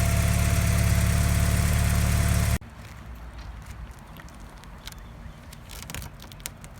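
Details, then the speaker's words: 1987 Porsche 944 four-cylinder at idle; even, steady idle around 214 pulses a minute, no misses or ticks, then switched off; sounds really good, header smoke normal after work, no leaks, oil pressure builds slightly slowly. "it sounds really good. There's a bunch of smoke coming off the headers, but that's normal after such work."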